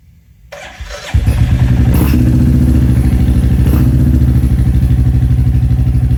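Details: Royal Enfield Classic 350 Reborn with newly fitted 410 big bore kit, second startup after exhaust remounted to fix leak: starter catches, then steady even single-cylinder thump settles into clean idle, no ticking or puffing; healthy.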